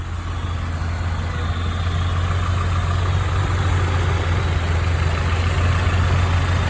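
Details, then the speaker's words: 1995 Nissan truck 2.4 L four-cylinder at idle after adding Tribo-MAX oil additive, restarted: steady even low idle with no top-end ticking or tapping; the earlier lifter tick is gone, smooth as butter. "smooth as butter"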